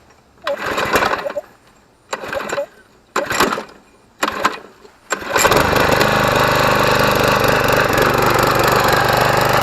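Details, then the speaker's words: Craftsman Platinum self-propelled push mower after new belt and self-propel cable, no blade fitted: cranking bursts, then uneven, lumpy running; possibly flooded from being tilted on an angle. Rough running. "alrighty alrighty it doesn't sound like it's running too good but we did have it up on an angle so we could have flooded it out a little bit"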